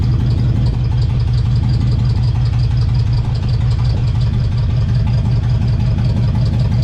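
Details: LS V8 swap, new ECU; loud low V8 running rough with uneven stumbling pulse at idle; misfire because the coil pack was mounted upside down, crossing the coil wiring.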